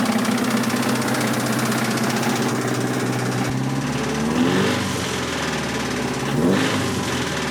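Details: 1986 Toyota MR2 AW11 salvage-yard parts car, after vacuum leaks were fixed: engine running with an irregular deep knock under idle and throttle blips; bad rod knock, engine declared toast.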